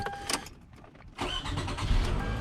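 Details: Toyota Camry after no-crank diagnosis, new battery fitted and dash reassembled: brief quiet, then engine catches quickly and settles into smooth, steady idle; clean, healthy start, charging system then reads 13.67 volts.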